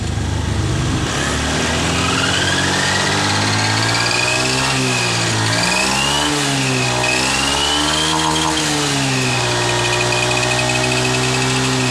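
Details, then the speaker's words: Honda Scoopy FI scooter: a shrill whistling whine heard from the CVT area, climbing and falling with revs and strongest at mid to high rpm, traced to a worn component in the final drive. "di video saya kali ini saya ingin membahas masalah suara-suara nyuling pada bagian gardan motor Scoopy"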